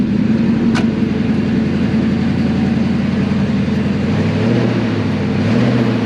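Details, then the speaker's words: Engine after oil filter fell off while revving at 6500 rpm, first startup with good oil pressure: runs smoothly at low speed while reversing, steady even note with no knocks or tapping, sounds healthy. "got it back on that's how you fix it yeah it just sounds good sounds good good this is great guys i'm really yeah there's no knocks or anything"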